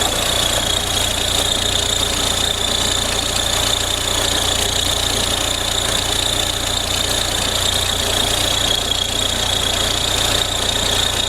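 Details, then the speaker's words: Audi A4 B6 1.9 TDI diesel at idle: steady hiss with light, fairly even ticking of about three per second on top; belt tensioner pulley noise. "عندنا هذه لاكات فيها بروي متاع طوندور."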